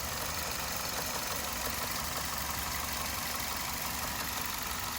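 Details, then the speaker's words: 2007 Nissan Altima idling in drive: the engine shifts and rocks on worn engine mounts, giving a faint, uneven knock under a steady hiss with everything shaking; a new engine mount is the fix. "The engine making that noise because the mounts. Yeah, put it in drive. See, the engine is shifting because the mounts ain't doing their job, and it's causing that little noise."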